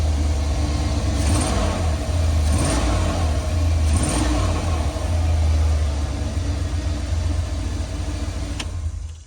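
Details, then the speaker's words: Prism Supply 4x4 van V8 after the burnt plug wire, probably arcing against the manifold, is put back on: deep even burble, three clean throttle blips rising and settling back to a steady smooth idle, no misfire; normal idle and rev. "Yeah. Pretty smooth, ain't it? Oh God. Yeah."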